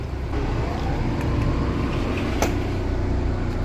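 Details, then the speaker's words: Fischer Panda generator on a Regal 36 XO boat in the water, being checked for overheating in a roughly 120°F marina, cooling water still pumping: low, steady, even drone, running smooth under load. "what's a good sign we've still got water pumping other side in the bottom of it here i can hear it running"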